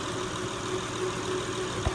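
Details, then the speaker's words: 2005 Honda Pilot after replacing the power steering pressure hose O-ring, winter: even idle with faint low hum, no rising pump whine; fixed, pump not at fault, air may cause slight noise. "I'm going to turn it off it's just amazing how much different it sounds compared to what it was so I say that's success"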